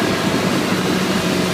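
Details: 2012 Bayliner 175BR with the engine hatch closed: a constant, even high-pitched squeal over the engine drone without pitch change. Source unknown.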